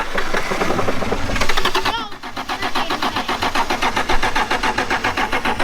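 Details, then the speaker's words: 1996 Toyota Tacoma 3.4L after lying on its side: even starter cranking with ragged smoky exhaust puffs, never catching; owner suspects the timing belt skipped teeth; no dash lights either. "exhaust is not happy. When you first started to crank it, this thing was smoking. Maybe that was it skipping teeth."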